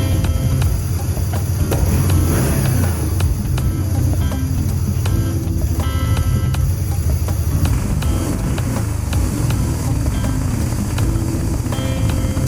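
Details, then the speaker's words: BMW R1100GS boxer twin, first start after fuel tank cleaning, new fuel lines and electrical work, throttle cables matched but throttle bodies not yet synchronized: rough starting, low uneven rumbly, loping idle; rough idle from unsynchronized throttle bodies. "So the bike started. You heard it was a little rough. It was a little rough starting. It was a little rumbly, but that was not surprising because the throttle bodies on each side are not synchronized."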